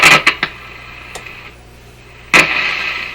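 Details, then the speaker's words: 1950s Canadian Philips 922 multiband tube radio on the AM band, powered through a series light bulb: sharp crackles and pops burst from the hiss while tuning; the tuning capacitor plates are touching and shorting. "Aha! It's a short in the tuning capacitor. Shorted."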